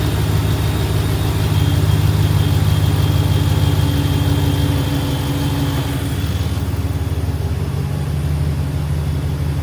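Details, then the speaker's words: Truck engine idling after the idler pulley was replaced to cure a whistling sound. Even, settled idle with a steady low hum and no whine or whistle from the belt drive. Normal idle. "I'm not hearing no whistling. I really fixed a piece that was messed up in my engine."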